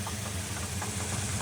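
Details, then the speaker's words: Mirada engine after a hard highway run: quick regular knocking over a rough idle, about five raps a second; suspected rod knock, unconfirmed. "it was embarrassing because we were Rod knocking when we were blasting down the highway we literally ran up Prius a little bit it was like a fan who saw us on the road and now this thing sounds like it's Rod knocking it's over"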